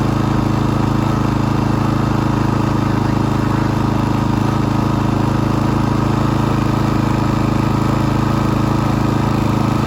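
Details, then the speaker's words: Pulsar GD400BN dual fuel inverter generator running at constant speed with a fast even shake; the spark plug cap's rubber doesn't seat, so vibration spins off the plug terminal nut, worsening over time despite retightening. "I'll fire it up you'll see some vibration running and like I said it only gets worse over time with the vibration because it's spinning off that tmal nut and I I have tried tightening it"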